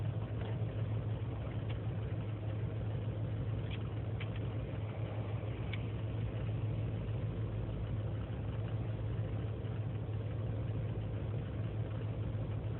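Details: 2003 GMC Sierra Z71 5.3L V8 (non-flex fuel) cold start after overnight in single-digit temperatures, idling without throttle: low uneven idle never settling; lean and misfire codes, owner suspects intake gasket vacuum leak; runs fine warm.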